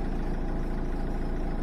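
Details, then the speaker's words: Peugeot 206 1.4 HDi at idle, fan switched on from auto: only low diesel idle thrum, no air rush or fan whir; blower dead from failed blower resistor that also sets fan speed. "je mets le ventilo il y a rien du coup ça souffle pas on entend pas le bruit du du"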